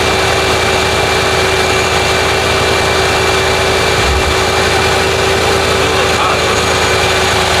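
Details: Lincoln Town Car (OBD1) after replacing the idle air control valve for high idle, no code: steady, even idle with a smooth low hum, no hunting or surging; now about 800 rpm versus roughly 2000 before, normal.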